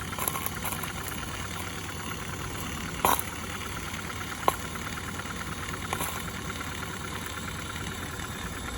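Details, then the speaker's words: Accucraft Ruby 5 live-steam model locomotive, owned since 2015, about 20 psi, Johnson bar in forward, valve cracked open, fire a little too hot: steady soft steam hiss, faint light exhaust beats, odd click, even; normal running. "Now it's operating in forward position. Yeah, she runs good."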